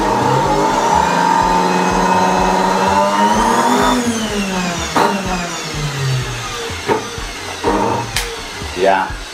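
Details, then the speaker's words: Samsung SC4590 vacuum cleaner at higher speed: motor whine climbs then turns rough and uneven with sputtering bursts as it fades; burning smell afterward, brushes ruled out, rotor judged gone, motor burnt out. "it's already smelling like burn, so it's very clear. The rotor is gone."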